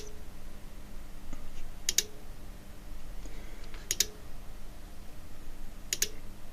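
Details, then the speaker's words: Cambridge Audio Minx Air 100 speaker with no power, powered on the bench: rhythmic clicks every two seconds and no lights, traced to a failing switched-mode power supply. "Can you hear that clicking? Rhythmic clicking. I think you can. And interestingly enough, there's no flashing lights or anything else."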